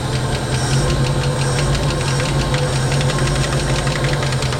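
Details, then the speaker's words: 1968 Ford Mustang V8, parked about 20 years, at its first idle: fast, light top-end ticking over a steady low rumble, otherwise running well. Cause of the tick is unknown. "I haven't heard my car running 20 years she sounds good too oh man that's awesome oh oh boy that's so awesome she got the old Ticky Ticky Ticky"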